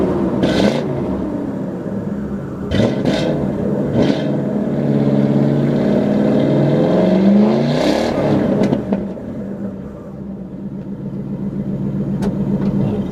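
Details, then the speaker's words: 1995 Lincoln Town Car V8 with a new exhaust (first cats kept, others hollowed out, Flowmasters, 2.5-inch tail pipes): a deep burble that rises cleanly with each throttle blip and settles back, with no rattles or leaks. The exhaust is healthy. "And so that combination of the cats on the header and then the Flowmasters gives you uh well, this sound."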